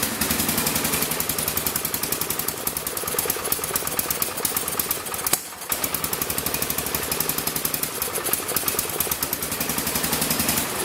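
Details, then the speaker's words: 1975 or 1976 Massey Ferguson 14 garden tractor, Kohler K321 single-cylinder, carburettor at stock settings before repair: uneven stumbling beat about 220 pulses a minute with a momentary dip, won't take throttle; rough running, cause not yet known. "as you can see I'm pretty sure it's not running right it won't take throttle"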